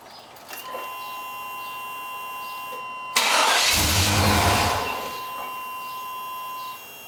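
A chime sounds, then the starter spins in steady pulses for about a second and a half; the engine never catches.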